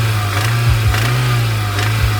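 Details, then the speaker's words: 1992 Toyota MR2 started for the first time after a fuel pump replacement: a low engine drone with sharp knocks cutting through, from a failed connecting rod bearing. "You can see that this rod is toast, but it wasn't so bad that we destroyed the entire engine, or at least I don't think so."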